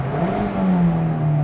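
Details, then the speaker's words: 2020 Mazda MX5 ND2 100th Anniversary, four-cylinder, over 20,000 miles, accelerating on the road: steady raspy drone at even pitch, not very loud but audible, no knocks; normal healthy engine sound. "and I don't think that sounds bad it's not really loud but I don't really want it to be loud I just want to hear it it's loud enough"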